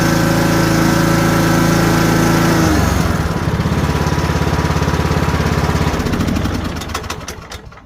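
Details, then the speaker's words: Troy-Bilt Bronco riding mower that had no click and no start despite a charged battery, test-run after replacing a blown 20 amp fuse: strong steady drone drops to a lower beat, then winds down cleanly at shutoff. Normal running. "So there you go guys. If you have starting problems, not starting, go ahead and check your fuse."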